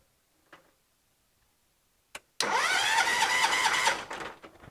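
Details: John Deere 214 garden tractor: starter spins engine steadily about three turns a second for a second and a half but it never catches; no spark, faulty ignition points suspected.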